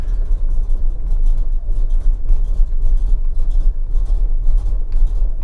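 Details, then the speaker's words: 1979 Ford F-150 Ranger Explorer with 460 V8, fresh oil and filter; deep loping idle with soft muffled pulses and almost no bark; very quiet exhaust, sounding like a stock 302. "It has a really quiet exhaust system on it, so you will never know what's under the hood of this thing. It sounds like a stock 302 with that exhaust."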